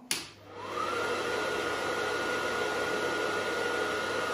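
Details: Gas boiler combustion fan, tested with a manometer teed into the air pressure switch lines (about 6.37 mbar); spins up within a second to a smooth, steady whir with no rubbing or rattle; healthy fan.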